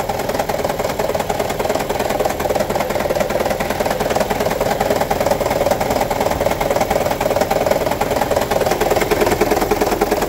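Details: 2009 Toyota Prius 1.5 hybrid petrol engine idling with a heavy, uneven rattle; code P0304, cylinder 4 misfire; one spark plug shorted, low cylinder 4 compression; fixed by replacing spark plugs.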